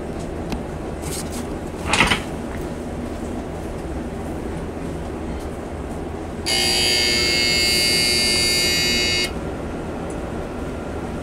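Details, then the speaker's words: Bain-marie refrigeration compressor gives a harsh electrical buzz for about three seconds, then stops without starting; a previously fitted 3-in-1 start capacitor/relay suspected failed and is to be replaced. "all right so you hear that that's the compressor now that compress doesn't sound too healthy but we'll see exactly what's going on"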